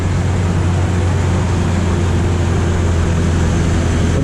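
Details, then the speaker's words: 2003 Chevy Trailblazer after its throttle body was cleaned with acetone (brake cleaner also used); it previously had a rough idle, hesitation and stalls. Now an even, steady low hum with no stumble or shaking, idling smoothly, with no hesitation on a drive. "definitely not shaking take it for a ride no shaking"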